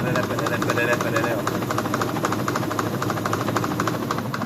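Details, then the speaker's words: Consul Facilite 11 kg washing machine on spin: sharp knocks about three times a second, not a metallic bearing noise; worn gearbox shaft bushing play. "Esse black, não consigo fazer direitinho não, mas não é aquele barulho de metal, de rolamento, né? Que aí tem que fazer a mecânica. Vocês estão vendo essas batidas, né?"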